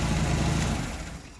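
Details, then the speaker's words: Nissan engine at idle after a single-cylinder misfire was traced to a faulty engine computer and the computer swapped: steady, even idle with smooth low rumble and no missing beats, fading toward the end; misfire gone. "and even the sound of the engine now don't hear the cylinder misfire anymore"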